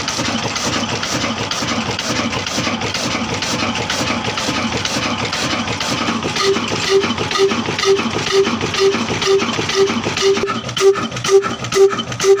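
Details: A 22HP 275RPM Kala single-cylinder diesel engine (tagged Ruston Hornsby) in Punjab, Pakistan, running after a hard cold-weather start on the third attempt; a slow, even thumping at about two beats a second with a steady exhaust note. Normal running.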